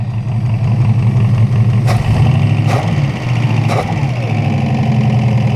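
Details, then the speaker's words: 1968 Buick Skylark 350 V8, first start after about 40 years abandoned, idles with a deep, steady, smooth rumble after the earlier knock went away, PCV disconnected; running sweet, normal idle. "She's just running sweet."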